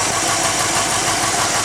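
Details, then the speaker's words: 1951 Ford engine at idle: a harsh rasping, chewing scrubbing noise from inside the engine persists with the belt removed. It seems not to come from the rear or the oil pan and is loudest on one side. Cause unknown. "So, got any ideas on what's scrubbing in there or chewing up? And it still makes that noise rip the belt off of it."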